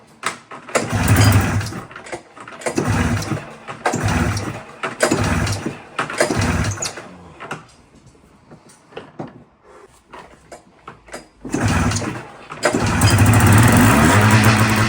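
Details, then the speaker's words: 2000 Polaris 550 RMK Trail two-stroke snowmobile after reed valve work and carb cleaning, slide height and air screws reset: pull-start bursts, then fast raised idle that stays high; idle screws later adjusted; high idle. "Okay, so with the high idle, I marked the red where they were at and I took them out one right now."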